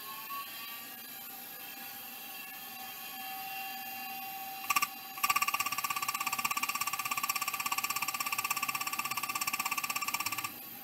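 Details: Vintage hard drive (possibly a KL320) powered up: faint whirring settles, then sharp even clicking about three per second for five seconds; drive sounds like it's failing, judged not good.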